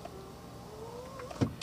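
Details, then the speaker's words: 1997 Mercedes-Benz C200 W202 with about 58,000 km, left front power window test: a smooth, steady motor whine that climbs slightly as the glass travels, then a soft thunk at the stop. A healthy window motor. "Terus yang kiri depan ya, ini Om kameramennya jadi muter-muter nih buat membuktikan semua masih baik-baik aja."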